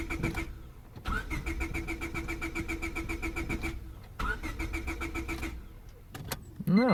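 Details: 2000 Honda Civic 1.6L, won't start when damp after sitting: quick even cranking in two long bursts that never fires; fuel smell present, owner suspects a spark issue, unconfirmed.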